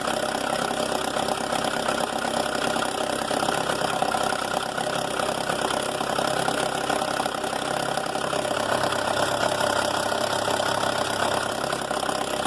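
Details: Mercedes A160 at idle: a loose, uneven metallic rattle about three times a second over a steady idle, apparently timing chain noise from a clogged chain tensioner that is losing its thread in the cylinder head; the car also has a slipping, wrong clutch disc.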